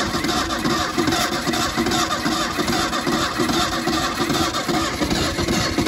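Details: 1977 Mustang II with no compression and broken fuel lines, sitting 25 years: rhythmic starter churning that never catches or picks up speed; cranks but won't start, owner wonders if the exhaust is plugged.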